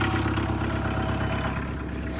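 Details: Van that would not start earlier, now idling after its weak battery was recharged and boosted by a charger: a brief, even low idle with a steady rhythm, no knocks or misses, running normally.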